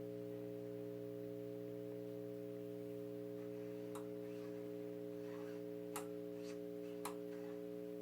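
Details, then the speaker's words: 1928 Stewart Warner 801B AC-powered TRF tube radio at first power-up, dial light and tubes lit: steady low buzzing hum from the speaker with only a few faint clicks; set powers up but only hums, no reception. "the DA light lit up and the twos are lighting up got some hung out of the speaker"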